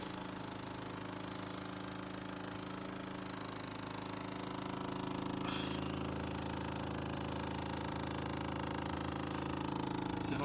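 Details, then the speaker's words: Renault Laguna 3 Coupé 2.0 dCi 180 diesel, 216,000 km, at idle: fine fast buzzing rattle about three per second over steady idle, dashboard vibrating; lower and upper engine mounts already replaced, gearbox mount not yet, flywheel and clutch fine. "je vais démarrer le véhicule pour vous faire entendre la vibration au niveau du tableau de bord"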